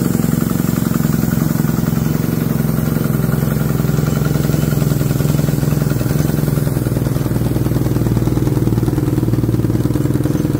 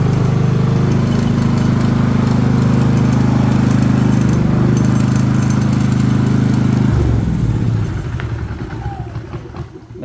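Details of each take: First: Harbor Freight Predator generator that starts but runs poorly: dull, uneven chug, no power, choking out; cause is a carbon-clogged spark arrester blocking the exhaust, with an air or whistle noise from the exhaust at shutdown. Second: Harbor Freight Predator generator that ran badly and made little power, now running with the muffler spark arrester removed: loud, steady, even engine drone with no surging or misses, then winds down at shutdown; normal running after fix.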